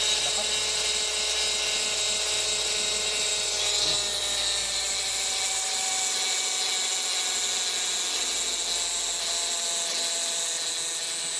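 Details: Toyota Vios gen1 (2003) with low power: harsh, high metallic whirring running steadily, no clear knock; something metallic rubbing or spinning rough, source unconfirmed.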